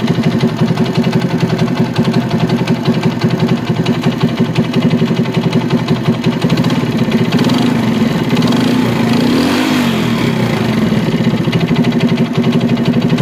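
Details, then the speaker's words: China CD70 motorcycle engine at idle: rough, fast knocking grows louder with revs; worn big-end bearing, connecting rod needs replacing. "इसका जो आवाज आ रहा है वह begin खराब होने की वजह से यह आवाज आ रहा है इसका जो बिगिन है वह खराब है इसकी कनेक्ट राड चेंज होगी तब जाके इसका आवाज सेट होगा"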